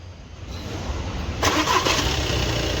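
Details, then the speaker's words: Audi Q3 2.0 TDI diesel after camshaft replacement with the timing belt and cover refitted. A short crank, then a smooth, silent idle; the earlier tapping knock and repeated cam/crank timing faults are gone. "बरोबर है एकदम पूरा silent है पहले टकट टक करके पूरा आवाज मारता था और टाइम ंग का प्रॉब्लम बार-बार आता था और एकदम परफेक्ट है"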